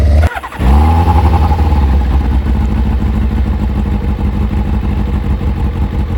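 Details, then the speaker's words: Kawasaki ZZR600 with new Micron exhaust, carbs just resynchronized during MOT prep: starts first time every time, catching on the first try and settling into a deep, steady, even idle with no misfires or hunting; healthy engine. "So, now the bike does start and it does start pretty much first time every time."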